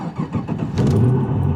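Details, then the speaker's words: LS3 6.2 V8-swapped E46 BMW 3 Series on a cross-country road trip, cold start: rough pulsing chuffs, then loud raspy rattling roar at fast idle; exhaust leaking badly where the headers (CX Racing) meet the rest of the exhaust on both sides. "car's doing good, except for the fact that where the header meets the rest of the exhaust on both sides, it's just leaking like crazy. So it's really, really loud. It's rattling, it's making all kind of noise"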